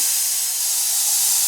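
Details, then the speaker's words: Black Max single-stage air compressor, motor off: constant sharp hiss of air escaping at the check valve; leaking failed check valve, to be replaced. "You can hear the air coming out pretty good coming out from right here. There's a difference. Well, that's because my check valve has failed."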